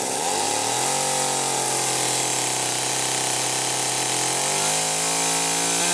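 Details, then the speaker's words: McCulloch Power Mac 320 Auto-Sharp two-stroke chainsaw, carburetor recently loosened: revs hang then step up and down unsteadily instead of holding clean; air leak, carburetor pulse hose found disconnected. "oh I had to take the carburetor loose and I didn't think any of the hose connections I unscrewed it but I didn't think any of the hose connections had come loose but by god the pulso is here"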